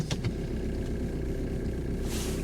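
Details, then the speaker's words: 1.5 diesel auction car, reportedly with a non-working fan: quiet, even idle with a steady low chug and no knocking or rattle; sounds healthy. "oh they said the they said to me the fan is not working which is fine that sounds all right"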